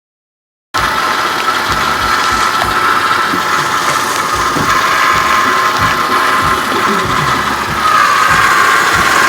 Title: 04 CTS nasty whining noise